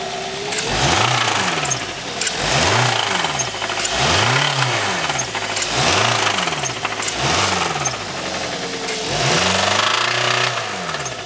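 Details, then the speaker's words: 2016 Hyundai Sonata found with only half to one quart of black oil instead of four to four and a half; even after an oil change, revving brings a heavy rapping knock that grows with each blip, bottom end ruined by oil starvation. "when it's idling it's not so bad when we first brought it in it was knocking like crazy we did an oil change hoping maybe we might get lucky we did not"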